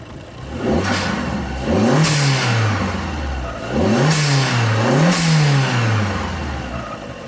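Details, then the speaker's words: Fiat Panda 100HP T-Jet turbo, engine just restarted after fitting an Abarth 500 ram-air intake; several smooth free revs sounding a bit more throaty, with the blow-off valve whooshing as each rev drops; normal, healthy revving. "i think it does sound a bit more throaty um you can hear the blow-off valve whooshing there as well"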